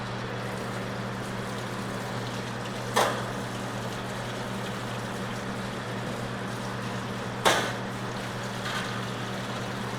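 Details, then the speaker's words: Zeco fryer oil filtration machine run again to flush crumbs from between burners and fryer sides: steady low pump hum throughout, broken by two short clanks; normal pump operation. "But we're going to go ahead, turn the machine on one more time, and flush all the crumbs out in between the burners and on the sides of the fryer."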